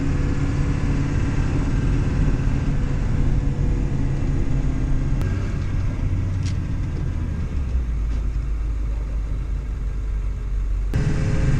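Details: Ford 7.3L diesel that had a no-start, traced to a deteriorated fuel heater shorting to ground and blowing fuse 30 (EBP valve, WIF sensor/fuel heater): deep, steady, even rumble with no misses or knocks, settling slightly lower partway through; normal idle.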